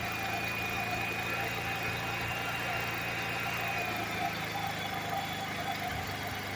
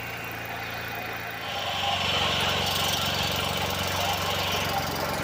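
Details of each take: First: Generator engine running on a wood-gasifier kit fed 100% wood chips: an even hum whose pitch sags midway, then holds lower. RPM drops as the shop battery bank takes a charging load of about 54 V at 20 A, roughly 1000 W. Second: Generator running on 100% wood-chip gasifier gas while charging a battery bank (~54 V, 20 A): steady speed with a regular light clacking about four a second, suspected sticky valve, possibly from hay sucked through a breached filter screen; unconfirmed.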